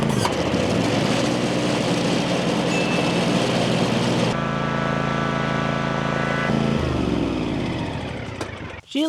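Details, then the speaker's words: Land Pride ZTS 48-inch zero-turn mower, started with choke: small petrol engine runs steadily, pitch changing while driving, transmissions with a slight whine but no excessive groaning, responsive; normal running. "funky, but she's a good runner. Might need a little tinkering here and there, but the engine sounds good and the transmissions they seem to be working really good, too."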